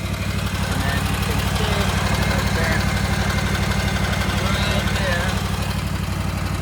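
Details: Gravely ZT/HD 44 hydro mower engine warming up at idle before oil and filter change, after fan and belt replacement and new battery; steady, even putter with no knocks or misses, normal.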